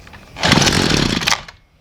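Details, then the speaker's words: Homelite string trimmer at half choke that starts then dies: it fires and buzzes about a second, then cuts out, running only when the bulb is primed. Fuel isn't being drawn up, possibly the carburetor; later fixed with a new gas tank, hoses and fuel cap. Fuel starvation. "half choke all right so seems like to me that we are losing fuel in this thing as I prime the bulb and get fuel to it it's starting right up there's no fuel getting uh sucked up to it"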